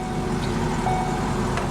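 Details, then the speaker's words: Salvage-auction car at idle: uneven, lumpy idle with an irregular low thump. Owner suspects a low-rpm misfire that clears when the throttle is pressed, and first wondered about a motor mount. "oh i know what the vibration is the car's got a misfire but it clears up when you hit the gas yeah it's got a misfire at low rpms guys"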